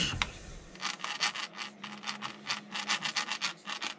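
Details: Losi 8ight 3.0 RC car front wheel bearing spun by hand during rebuild gives a dry, gritty rasp in quick pulses, about four a second, instead of a smooth spin; worn, rough bearing, three bearings replaced.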